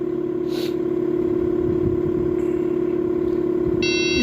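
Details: 2006 Lexus GS350 with a no-start and no trouble codes: the engine catches and settles into a steady, even run with no knocks. Normal running.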